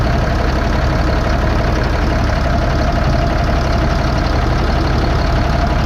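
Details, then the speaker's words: 2005 Fleetwood Discovery, Freightliner chassis, Cat C7 diesel, after replacing bad injectors on cylinders 5 and 6: deep, steady idle with even low rumble, no misses or knocks; all six cylinders working. "all right so there she goes working on all six cylinders"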